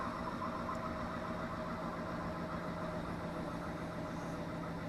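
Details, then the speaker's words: Sailboat electric propulsion motor run hard, about 50 A and 2,000 W, with an added cooling fan after cooling alarms: steady constant-tone hum with fan whir, no surging or grinding. Running fine. "So a little bit more than that, but it seems like it's running fine with the fan."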